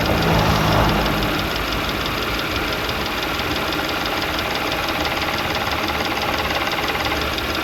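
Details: Audi B8 S4 at idle with a quick steady knock, roughly 210 a minute, following engine speed; owner unsure whether timing chain issue or rod knock.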